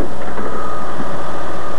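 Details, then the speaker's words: 2001 Ford Escape V6 first start after replacing upper/lower intake manifold gaskets and adjusting injectors, intake air 39: steady, even low rumble with no misses, knocks or hiss; idling smoothly, injectors possibly sucking a little air. "Seems to run pretty good, right?"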